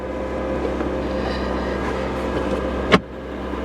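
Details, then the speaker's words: 2021 Ford F-150 from Copart listed as non-driving, started on a jump pack: it runs great with a steady, even idle and smooth low hum, no misses or knocks, just one brief click. "let's see if it starts all be damn it actually runs great it it actually runs really"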